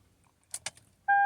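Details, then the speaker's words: 2008 Toyota Camry, battery and starter good: key clicks, then only a steady dash chime with no starter whirr or cranking; no-crank, suspected burned alternator fuse. "my battery is good that starter is good but nothing I'm gonna turn the switch doesn't work see"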